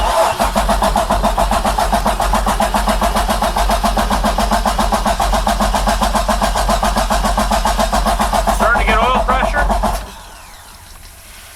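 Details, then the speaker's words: 2008 Bayliner 195, 4.3L Vortec V6 with MerCruiser Alpha One, first start after winter storage, throttle-only mode: steady rapid cranking about three to four beats a second for ten seconds, no start; dry crank, carburetor bowl not yet filled by electric fuel pump. "so we push the button and that puts us in throttle only mode sounds pretty dry in there but we'll Crank It"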